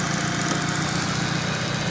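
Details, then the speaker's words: Citroën, gas-converted, after fixing the problem that caused stumbling around 2,000 rpm on petrol, supply now steady at 12 volts: smooth, regular idle at a constant note with no hesitation or knocks. "จบแล้วนะครับตอนนี้12โวลต์นิ่งเลยเจะนิ่ง"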